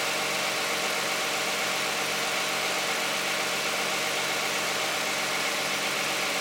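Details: Cold start of a 2010 Toyota Camry 3.5 V6 with 93,000 miles on Pennzoil Ultra 5W-30 synthetic and a Wix filter: quiet, steady idle with an even hum and light top-end patter, no irregular ticks or stumbles, healthy.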